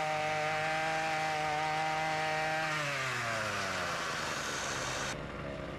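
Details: Ryobi RY253SS two-stroke trimmer, dumpster find, after carburetor replacement for a leaking carb, started at half choke, light brush cutting; crisp high-rev buzz sagging smoothly under brush load then recovering; runs strong and clean.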